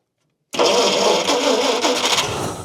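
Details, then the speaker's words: 1953 Kaiser Manhattan Continental six, stored for years with a stuck valve freed and compression below spec, first fire-up on old fuel; silence, then a sharp backfire bang and a ragged, spitting run. "Look at that. Whoop, whoop, whoop, that backfire."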